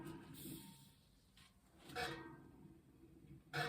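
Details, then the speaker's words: Bicycle front wheel being trued on a stand after reassembly: two short scraping swishes per turn as the rim brushes the truing stand pincher; spokes too tight on one side, too loose on the other, wheel out of true. "But you can see right now how out of balance that wheel is, or out of true, I guess you would say. So I don't hear any rubbing yet"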